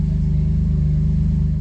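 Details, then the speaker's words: Honda Accord V6 that would not start, first start after a new alternator was installed: deep, smooth idle with a steady even pulse and no misses or knocks; repair worked. "these boys did it it's working wait that's good yeah let's let it idle for a little jeez this thing's working boys"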